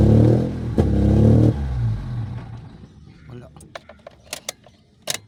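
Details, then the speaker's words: Mitsubishi GSR manual, complaint of dying on first start and RPM hunting, worse with aircon on: engine catches, runs roughly and shaking about a second and a half, then dies with a few clicks; stalls after starting. "try natin I off start on start Ayun siya anan nanginginig tapos patay ulit ay patay ayaw niya diretso start"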